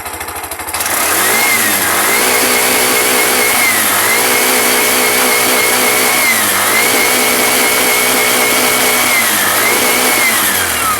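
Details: Bajaj RE whose dirty throttle body caused lost idle, weak pull and misfiring: after four ECU error codes are deleted, the engine catches after a short crank and settles to an even idle with only a slight, slow rise and fall.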